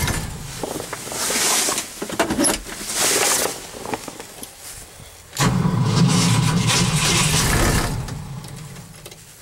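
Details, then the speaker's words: Cold start after an overnight low of -11 and 0 at start: starter grinds the engine over in long, steady bursts but it never fires; owner suspects he flooded it, battery possibly weak; cranks, no start. "y think i flooded him"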